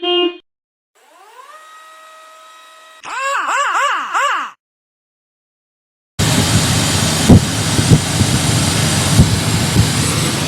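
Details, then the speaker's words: 2004 Toyota Sequoia with intermittent loss of brake assist and a previously replaced junkyard booster: a steady hiss at idle that stops when the booster vacuum line is pinched; brake booster vacuum leak, with the O-ring between master cylinder and booster found faulty or missing. "All right, so first thing I noticed is with it running, I hear a hissing sound. We pinched off the brake booster vacuum line, and the hissing goes away."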